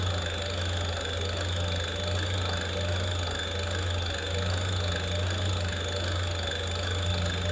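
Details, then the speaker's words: Hub motor on a NYX e-bike during Adaptto controller setup auto-test at wide-open throttle, wheel spinning free: steady coarse low hum with rough buzz; motor running noisy and vibrating a lot. "by the way the motor is pretty noisy vibrating a lot"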